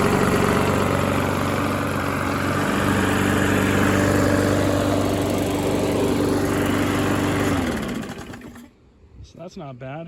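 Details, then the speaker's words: Seized Briggs single-cylinder engine freed and running: steady, even beat of about four pulses a second, no rod knock, then shuts down; old oil was pitch black with shine, possibly run low on oil; motor sounds fine. "sounds good doesn't sound like there's any rod knock or anything so i think the motor is fine"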